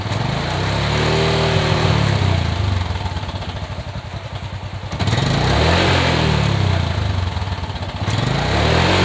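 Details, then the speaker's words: Motorcycle after lubricating the front sprocket shaft and flipping the front sprocket around: engine revs up and settles twice, smooth and even, with the front sprocket ticking gone. "mantap guys sudah enggak ada bunyi-bunyi lagi di bagian depan"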